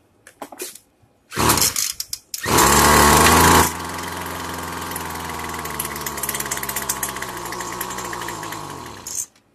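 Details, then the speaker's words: Free brand-attachment-capable weed eater, small two-stroke, carburetor problem: revs up hard then sags and dies, won't hold idle; seems fuel-starved, needs low-speed fuel screw tuned. "okay so it sounds like I need to tune the low fuel screw it's not getting enough fuel so let me get that"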